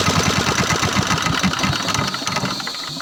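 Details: Single-cylinder 186F diesel with an electric starter wired to a key switch and an N40 battery; a few quick cranking beats, then it catches at once and settles into a healthy, thumping idle. Normal start and idle.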